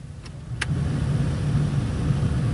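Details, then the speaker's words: 2004 Ford Freestar, blower was very loud, after replacing the squirrel-cage fan; two faint clicks as blend doors settle, then a smooth airy whoosh swelling as fan speed rises with no rubbing or rattle: blower healthy after repair. "right now you're hearing all the blend doors move let them all settle in fan sounds pretty good so far we'll kick it up a little"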